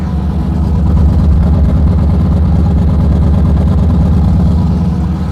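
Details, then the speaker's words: 1984 Ford Bronco II with LS V8 swap, warming up with coolant at 83° and climbing: deep, even, mellow low exhaust rumble at steady idle, no misses or ticks. Normal idle, quiet and smooth. "exhaust work has been it's just awesome on this truck it still has that little bit of Rumble when you step on it but overall idling crawling around super quiet and smooth it's [Music] awesome"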